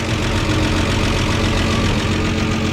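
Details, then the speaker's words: 1953 Chevy 4100 truck, just revived, idles steadily on its own with a busy, clattery top-end tick normal for its age; oil pressure present, no smoke, sizable exhaust leak. "no smoke that's the way these things sound i know it probably sounds noisy to you but that's the way they are"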